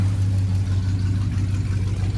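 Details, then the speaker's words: 1985 Chevy C20 that sat outside over 10 years, first running after revival with some choke: a deep, even low rumble with a steady beat, no knocks or misses, no smoke. A healthy idle; fuel was later seen leaking from the fuel pump, diaphragm suspected torn. "You hear that? Sounds good. Oh yeah. No smoke. Well, no, that's just exhaust. It sounds like it's camped."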